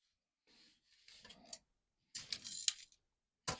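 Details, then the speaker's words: Commodore 64 1541 floppy disk drive, which behaved strangely when powered: short bursts of light metallic rattling and scraping as the unit is tilted; loose screws rattling inside drive case. "I hear things this is not necessarily good oh there are some screws inside interesting or at least one anything else"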